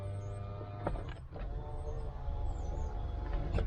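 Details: BMW E30 with ignition on: smooth, even window motor whir with a steady tone as the glass travels, no binding or strain; the driver's side power window operating normally.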